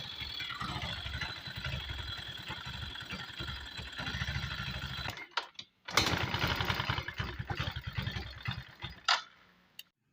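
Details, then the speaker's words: Yamaha GT125i scooter that burns oil, starts hard and lacks power; busy clattery running with light rapid ticking at idle and blips. Excessive valve clearance at the cylinder head; engine being torn down. "คันนี้ครับมีอาการเครื่องเครื่องหลวมครับกินน้ำมันเครื่องแล้วก็มีเสียงดังเนื่องจากฝาสูบกับชำนิ้วเดียวหลวมครับ"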